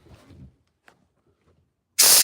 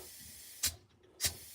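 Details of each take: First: 1963 Impala air suspension dumping: short sharp bursts and a long steady hiss of air as the bags deflate, with the dump valve exhausting into the cabin so it smells like a tire. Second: 1963 Impala air suspension, raised with the rear and front controls: short sharp hissing bursts as the valves fire and the air bags fill normally.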